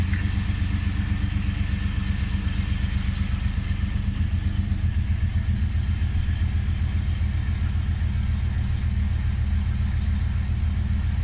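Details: 2008 Hummer H2 SUT: deep steady engine rumble with a rhythmic clunk about four times a second; repetitive clunking, cause unidentified.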